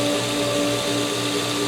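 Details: Pool pumps after regaining prime, with air purged through the chlorinator during pool opening: steady hum with two clear, unwavering tones and no rattle or gurgle; pumps primed, running in harmony and running normally.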